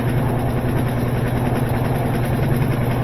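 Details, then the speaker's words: Washing machine on spin with a heavy load of already-spun clothes, after a new water valve was fitted: deep steady drumming rumble and heavy cabinet shaking as the tub spins up, machine walking backwards; worn suspension snubber pads. "Now, as it spins up, you get more and more vibration. Wally thought that was his mama. You see how this machine is walking backwards? Getting out of place. It shouldn't be doing that."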